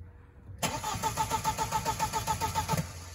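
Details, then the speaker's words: 1.8T VW Passat B5 fitted with a junkyard ECU flashed with a tune: the starter cranks evenly, about three and a half pulses a second, for two seconds but never fires, apparently not getting past the immobilizer. "oh we didn't get past the immobilizer yet"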